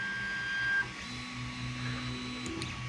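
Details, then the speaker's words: Creality Ender 3 Pro 3D printer auto-homing, no silent mainboard: steady electric hum with a few clear tones as axes move to home and limit switch, plus faint tick; ordinary stepper motor noise, normal. "you hear that humming sound of the stepper motors this does not have a silent motherboard in it or main board so you're hearing all the humming and everything"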